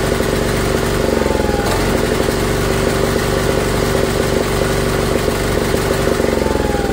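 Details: Old Briggs & Stratton gas-fuelled electric-start generator, first run in years after purging the regulator: steady, even single-cylinder drone with constant tone, no misses or knocks; engine runs smoothly though no electrical output, bare wire found.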